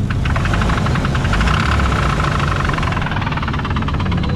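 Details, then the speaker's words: Drift car pulled off after one lap: heavy rapid knock about three to four hits a second at idle; owner suspects a valve or rocker acting up, valve cover removal and compression test follow. "all right one lap in this thing started knocking like freaking crazy listen to this"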